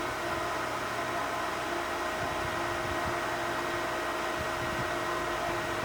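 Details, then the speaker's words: Pentair Clean & Clear pool filter after a cartridge change and belly band refit: steady airy hiss with a faint pump hum as the tank fills and primes, which is trapped air escaping; normal air hiss during filter refill. "It's real exciting because when this thing starts filling up and starts hissing, you think it's going to blow up on you. But it's just normal part of the program. Don't be alarmed."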